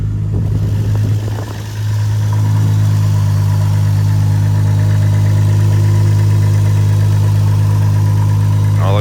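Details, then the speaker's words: Toyota JZX90 Cresta 1JZ after hydro fan delete, new radiator, 2JZ water pump, clutch fan and timing components, cooling system filled with water: brief rough moment then deep, steady, even idle, no ticks or knocks; sounds good. "let's see she sounds good so far"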